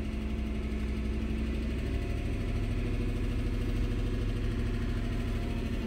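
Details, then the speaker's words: 2015 GM truck, 5.3 direct-injection V8, codes P0300 and P219B, trims minus 20% bank 2 and 14% bank 1; low idle with a faint uneven pulse settling to an even rumble after reset; owner suspects injectors or intake-valve carbon. "This speed, it's not bad, but at a slightly lower speed, it feels like it's stumbling slightly. And when I hit reset, you'll hear the engine smooth"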